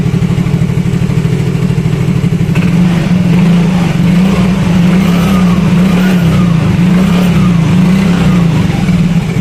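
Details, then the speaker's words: Yamaha Mio Fino 125 fuel-injected scooter that came in unable to idle; after setting the idle at the ISC/throttle-body hose wedge it idles on its own with no throttle: low, steady putter with even pulses, no hunting or stalling, a normal idle. "jadi ini enggak saya pegang ya untuk e kondisi gasnya tuh ini normal ngangsap"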